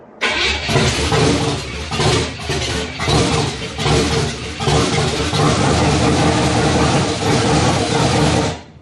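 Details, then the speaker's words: 1967 Chevrolet Impala small-block Chevy V8, first startup after sitting 40 years in a shed: cranks and catches roughly, ran well a second then surging pops backfiring through the carburetor with lifter noise. "First startup did not go well. It sounded like it ran good for a second, and then started backfiring through the carburetor. Started having some lifter noise."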